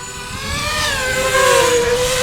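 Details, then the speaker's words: Diatone Tyrant 180 quadcopter, line-of-sight flight: thin motor whine bending with throttle, rough scratchy edge; worn motor bearings making funny noises, owner does not recommend these motors. "quads with 4-in props but yeah you can hear these motors how bad they are the bearings in them are just making funny noises"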